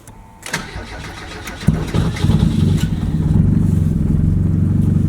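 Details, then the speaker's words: 1990 Mazda Miata, first start of its new engine: starter whirs briefly, the engine catches and stumbles before settling into a lumpy idle with slight lifter tick; rough start, lifter tick considered normal for a Miata. "bit of rough start a little bit lifter tick that's normal though it's a Miata"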